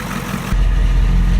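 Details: Ford 7.3 IDI diesel after injection pump replacement (old pump suspected internally damaged), first test run; deep, low idle that turns steady after a short shift in note, no knocking or hunting. Runs clean, though smoky, possibly from bad fuel.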